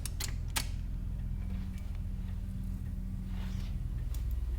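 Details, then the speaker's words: 1982 Mazda RX7, carbureted 12A rotary, sat about a year, no battery fitted: electric fuel pump runs with a quiet hum and soft ticks about three per second, sounding weak and submerged; clearly not enough power, cause unconfirmed. "fuel pump idea we have a fuel pump okay well that's clearly not enough juice but we have a fuel pump it sounds like it's submerged in something"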